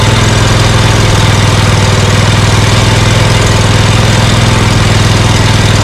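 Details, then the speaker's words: Scag Cheetah with Briggs & Stratton Intek V-twin after fitting a cheap Amazon carburetor in place of the 791230 and charging the battery: steady even drone at light throttle, no stumbles or pops; one-cylinder misfire gone. "Well, I think I'm going to go out for a test run and see how this does, because that doesn't sound too bad."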